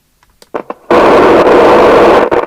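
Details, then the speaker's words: 1981 Nato 40FM UK FM CB radio, Cybernet PTBM002F chassis, loud popping audio even on PA: loose pops then harsh crackling roar cutting out in spurts from speaker; ultimately the faulty LA4422 audio amplifier IC, after six electrolytics replaced. "i don't know what we're gonna do there that is very very noisy"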